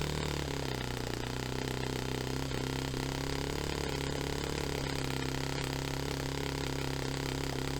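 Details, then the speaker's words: Saito FA-45 Special four-stroke glow engine on first run after a full strip, rebuild and new bearings, on a test stand, 10% nitro, on base carb settings. It runs steadily but rough and uneven; untuned engine, slow throttle pickup. "So it's obviously it's not tuned right, it's not set up, but as a starting point, I know it runs, and that was actually that's so rewarding to have stripped and rebuilt this engine entirely, put new bearings in it, and to have it back up and running is fantastic."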